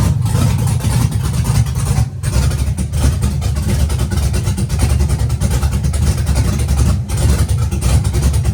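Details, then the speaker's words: Chevy truck with LS-swapped big-cam V8, on new tune: rumble surging and sagging with brief dropouts; data log shows ignition timing falling off completely on throttle, timing being the original problem, causing stumbling. "Whenever I hit the gas pedal, it looks like it the timing actually just freaking fell off all the way. Um the problem to begin with was the timing."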